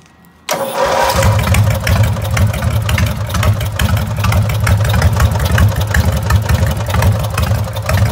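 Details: Lawnmower with an 18.5 hp Briggs & Stratton opposed twin, carburetor rebuilt, throttle on a homemade gas pedal: it cranks, catches and settles into a steady, even low thrum with no misses or knocks. Normal running.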